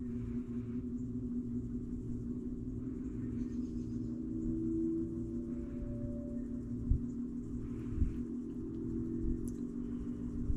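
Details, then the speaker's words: 1949 GE Vortalex 16-inch fan, unused over a year, started cold: low steady motor hum with a faint tone drifting upward as the fan slowly reaches speed; owner suspects cold, thick oil makes it sluggish. "it is cold so any oil in there is going to be a little bit slow starting it's going to make everything slow to start with it with the oil being cold and thick and all that"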